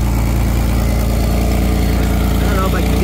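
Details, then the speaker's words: Pontiac Fiero after an R12-to-R134 AC conversion. The compressor clutch is jumped on at idle and gives an even, steady idle with a smooth low hum and no clatter or squeal; the compressor sits at the back bottom of the engine. Finding: normal AC compressor operation at idle. "you hear the click of the clutch so that's with it on that's with it off there now it's on"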